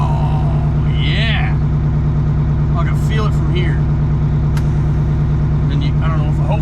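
Even, steady diesel idle with a regular low beat and no knocks or misses; the engine is running normally.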